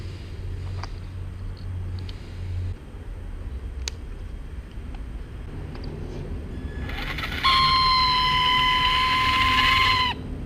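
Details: Traxxas Slash 2WD 550 12-turn brushed motor briefly spinning up with a steady, piercing high squeal near 1 kHz, before the squeak fix.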